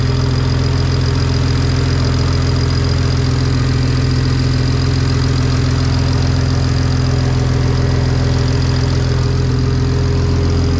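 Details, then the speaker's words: BMW N54 335i single-turbo conversion, first start on a lift after subframe refit: loud steady idle with a rapid regular puffing tick on each firing pulse, exhaust leak at the turbo-to-manifold V-band flange; coolant leak also present, turbo spinning. "Coolant leak, and we got an exhaust manifold leak. That V-band is pissing out."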